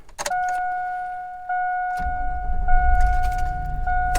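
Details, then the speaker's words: 2002 Chevrolet Tahoe after replacing the starter and a blown 40 A ignition fuse: door chime, quick crank, and the engine catches at once into a steady, even idle rumble; healthy start. "And she starts."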